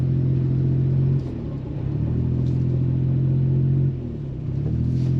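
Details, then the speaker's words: Suzuki Alto Works driving: engine drone rises and falls in slow waves every few seconds, possibly worse under heavy load; cause unknown, battery, alternator or loose belt suspected; engine surging. "it's surging surging really bad so maybe when I really go under load is when the surging gets bad"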